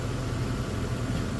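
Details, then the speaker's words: Toyota 4Runner 3.4 swap, 280,000-mile motor that sat long, first runs: brief, quiet, even idle after throttle released, no stuck high idle, no knock or stumble, no leaks; engine sounds healthy. "When I push it down, it just idled down, so, which is good. I was worried that it was going to be stuck high idling there, so."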